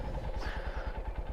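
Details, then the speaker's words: Carbureted Honda XR150L started on the choke lever on a cool morning at about 4,500 feet. A soft, even, quiet idle of about ten beats a second with no knocks or misses: a normal cold-blooded warm-up. "The bike's running. It's so quiet you can barely hear it. And it has a little trouble getting warmed up. I mean, not trouble, but it just takes a second to get it warmed up."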